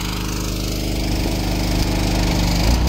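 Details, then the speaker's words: Old power washer engine at full throttle, bogging with a laboured steady low single-cylinder drone after the year-old pump was turned up for more pressure; fuel isn't dirty, and stretched governor springs were later found to be the cause. "you just hear that power washer can't take it or the motor rather pretty old Power Washer I might have to work on it a little bit and try and get it to run a little better too like that TMR car"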